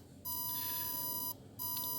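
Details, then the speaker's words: Battery desulfator pulse generator on a lead-acid battery: thin high beep cutting in and out at uneven intervals, a croaky irregular pulsing; cycle varies around 540–580 ms on the scope, not a regular frequency, pulses about 40 mV. "as you can hear from the sound it's um not a clear regular frequency it sounds a bit croaking and I think that is reflected in the in the scope"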